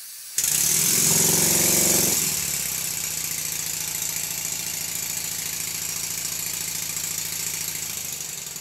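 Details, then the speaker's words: First-build Stuart Models 7A vertical model steam engine with home-made reversing gear and solid-machined crankshaft, some eccentric-rod looseness: steady even chuffing about four beats a second over soft steam hiss; runs fast and slow well. "well it runs fast and it runs slow and everything is looking quite good"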